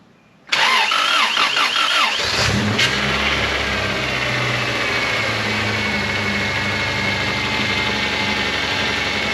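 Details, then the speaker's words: 1999 Honda Accord after blown head gasket repair, second start attempt with spark plugs now installed: starter whirs briefly, engine catches cleanly and settles into a smooth, even idle with no misses or knocks. "With the spark plugs in. It'll actually start this time with spark plugs."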